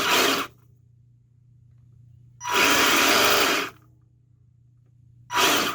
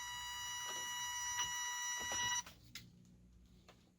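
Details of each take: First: Secondhand 1/10 RC car after the speed controller was set to LiPo mode and forward/reverse with smart brake: short throttle bursts with a clean electric whine, rising and cutting off sharply, no grinding. Motor and steering now work normally. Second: Secondhand 1/10 RC car at switch-on: steady high electronic beeping for a couple of seconds, then quiet with small clicks. No forward or reverse, steering works; owner suspects the speed controller needs calibrating or the motor is bad.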